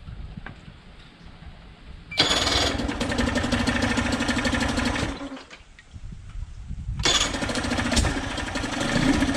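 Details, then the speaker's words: 1999 Nissan/Tohatsu 5 hp single-cylinder four-stroke outboard, ex-saltwater, sat a couple of years, not pumping water: catches, runs ragged and uneven about three seconds, dies, restarts rough; broken head gasket, needs a new head. "getting out of here the gasket is broken I know he mentioned he was trying to check the thermostat but you can see needs a new head"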